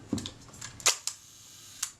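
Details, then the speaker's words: Agfa Agfaflex SLR shutter being serviced, fired with the cover refitted and two screws in: crisp single shutter snaps in a quiet room, one loud release near one second; clean and quick, shutter working correctly. "That's good. That's all I need that to do. That That part tells me that I've got my shutter working correctly."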